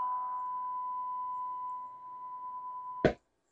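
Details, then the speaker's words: Seeburg Model 220 jukebox tube amplifier, freshly recapped and warming up, fed a signal-generator tone on first power-up test: clean steady tone about three seconds with no hum or crackle, then a thump; audio output working normally. "Oh yeah, we're getting audio. I think we're working."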